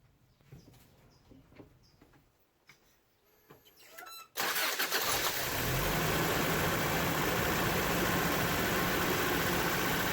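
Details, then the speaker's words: 1993 Toyota pickup 22RE idle surge, revs rising and falling on their own after unplugging the idle air control port; no vacuum leaks found, and the IAC valve with a plugged coolant passage is faulty and gets replaced. "diately affects our idle causing an idle surge meaning that it revs up and down on its own"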